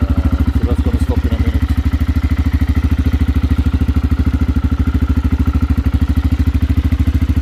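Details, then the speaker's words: Aprilia motorcycle engine, first start after install, carburetors: crisp evenly spaced exhaust pulses at steady idle, no misses; some smoke from exhaust pipe sealer; normal running. "And that, ladies and gentlemen, is the sound of success."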